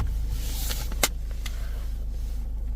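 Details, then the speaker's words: 2012 Range Rover Evoque 2.2 diesel after start-fault repair, low fuel: fires straight up into a low, steady idle rumble with one brief click, no misfire or knock; charging 14.8 volts, no faults. "Fire straight up, look."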